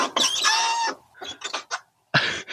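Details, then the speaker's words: Renault Megane with 117,000 miles: the rear door gives a loud, high-pitched squeal with repeated squawks as it swings. The hinge is very squeaky; it's hoped grease or WD40 will fix it. "that is a very very squeaky door hopefully something we can fix with just a little bit of grease in WD40"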